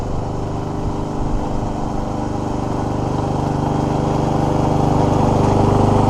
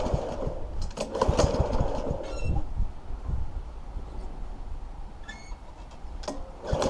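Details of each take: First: Free scrapped Troy-Bilt mower with Honda GCV160 engine that cut out when using self drive, running after warm-up and an oil level fix; fast, even single-cylinder beat with no stumbling or cutting out, running properly. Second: Troy-Bilt mower with Honda GCV160 engine cutting out when self-drive is put in gear four: ragged, uneven firing sags almost to nothing then picks up roughly; stalls under drive load.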